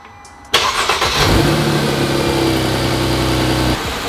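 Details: 2010 Mercedes C300 after secondary air pump replacement: a quick crank catches cleanly and settles into a smooth, even idle with no misses or knocks, so the engine is running healthy and the air pump works.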